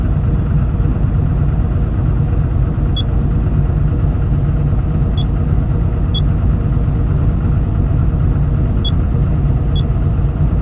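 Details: Komatsu diesel engine with low power, high vibration and white smoke: deep rumble with a hard, fast knock at steady speed; engine knocking, cause not found.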